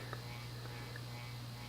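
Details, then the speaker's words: Hunter/Robbins & Myers Original Reverse-aire 38" ceiling fan, model 22290 (1983), 2-speed oil-bath shaded-pole motor, shaft worn from running dry, on high speed: steady low electrical buzz under the airflow, no knocking or scraping; shaded-pole motor buzz. "the 36 inch motor is very buzzy not really monie but buzzy and this buzz is why they introduced the isolation ring to help reduce"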